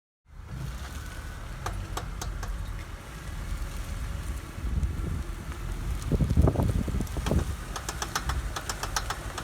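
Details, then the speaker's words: Sharp repeated clicking over a low driving rumble, especially while turning, indicating a worn CV joint going out; fix is usually replacing the entire axle. "if you're hearing this type of clicking especially while turning usually that means your cv joint is going out they don't usually rebuild these anymore so usually you just replace the entire axle"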